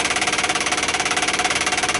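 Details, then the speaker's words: 1959 Ford Galaxie Fairlane 500 dash clock, engine off: a rapid, steady electric buzz of about fifteen pulses a second from the clock's auto-rewind. The buzzing stopped once the clock's inline fuse was unhooked. "we unhooked it now no more noise so it was definitely the auto rewind or or just the clock itself making noise"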